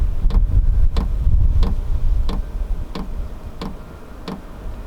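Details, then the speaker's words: Vevor diesel heater at startup, after glow-plug heat-up drawing about 190 watts: the fuel pump ticks steadily about three times a second over a low fan rumble as the fan begins to speed up; normal startup. "There's the fuel pump. You can hear that ticking away, and I can hear the fan starting to increase a little bit."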